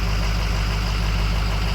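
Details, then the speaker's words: Ford 6.0 Powerstroke diesel with hot no-start, after rails reinstalled and torqued to Ford procedure, warming up: deep, steady idle with even low rumble, no misses, knocks or hunting; running healthy. "so now dummy plug stamp pipes and it's running so I'm going to let it warm up and we see what happens when I talk and TR put it off and turn it back on it's running pretty good temperature is coming up"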